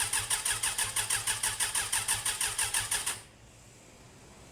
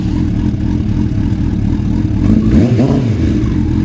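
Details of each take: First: Suzuki Bandit running roughly with uneven, lumpy chuffing about three beats a second, then cutting out after earlier backfiring; possibly running on fewer cylinders or a faulty spark, with the sidestand switch suspected. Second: Suzuki Bandit (400 or 600) back to normal after a retune; the owner believes someone had swapped the spark plug leads. Even, steady engine beat with a clean short mid rev, no misses or clatter; normal running.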